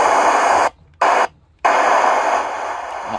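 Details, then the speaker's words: Sony ICF-SW series shortwave radio: only hiss and static cutting in and out, no station ever tunes; the oscillator-stage crystal diode is open, likely from a strong local station or thunderstorm surge, possibly also open SMD capacitors there. "that high voltage go through in and it break that Crystal diode in that circuit and that's why it's unable to tune any station because it's open"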